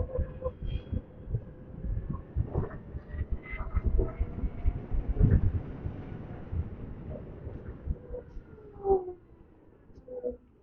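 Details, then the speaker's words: Motorcycle CE-04 after one year, riding: irregular light taps and rattles over motor whine, belt noise and wind rush; a loose-part rattle of unclear origin. "yeah you can hear the rattling here"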